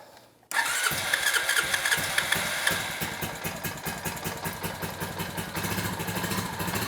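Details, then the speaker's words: 2006 Honda TRX350 Rancher barn-find ATV, first start after a carburetor rebuild and fuel system cleanup: a brief crank, then the single catches at once and settles into a steady, even idle with a whiff of smoke; normal start and idle. "was I saying about Honda's idle being off? Spot on, man. Got a whiff of smoke out the back. I'm impressed."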